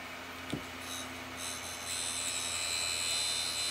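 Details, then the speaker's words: Icom IC-V8000 75 W 2 m mobile radio, used in a pickup for 15-20 years: steady high whir with a harsh, gritty edge; cooling fan bearings grind when mounted at an angle and gravity pulls the fan down. "in my truck I have it mounted at about that angle and you can hear the fan when the when gravity pulls the fan down uh the bearings grind like crazy just not good"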